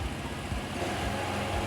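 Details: Honda Vario (old model) idling and revving after battery replacement: small engine hums evenly and picks up smoothly with throttle, no misses or rattles; charging rises from about 12 to 13.9 V, so the charging system is normal.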